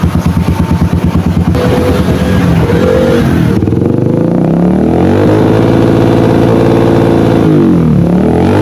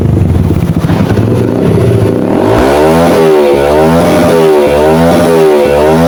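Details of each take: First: Yamaha XTZ125 with new CDI, regulator/rectifier and wire harness, wiring correct: engine stumbles and stutters as revs rise, won't rev out; misfire at high rpm from unstable CDI supply voltage. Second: Yamaha XTZ125 after fix, new CDI given constant 12-volt supply through an added automotive fuse tapped from the fuse box: repeated clean revs rise and fall smoothly without misses, pulls evenly at high rpm.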